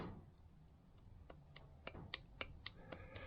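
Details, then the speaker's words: Classic Range Rover hard-dash plastic heater box, blower motor on the bench: quiet high-pitched squeaky chirps three to four times a second from a worn top bearing with felt pads; motor replaced. "this one's not great this one is if I hold the wires away from the blower that's not nice the reason it's not nice is if you look at the bearing on the top end there"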